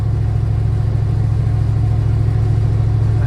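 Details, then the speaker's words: Car with new fuel pump, 87-octane fuel, under load: heavy low lumpy drone, rough and stumbling as it pulls, cutting out; owner suspects low octane or lifter problem, unconfirmed. "I'll hit it one more time going down this hill and see what it does yeah it's cutting out pretty good it pulls"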